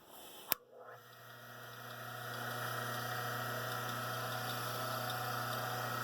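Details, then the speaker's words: Rikon slow-speed grinder run with the grinding wheels removed to check for bearing issues: click at switch-on, then a smooth, steady hum with no wobble; motor seems fine, and the wobble is suspected to be in the wheels. "to run pretty good so we're not seeing that the that all seems to be good and tight so I don't think it's the motor"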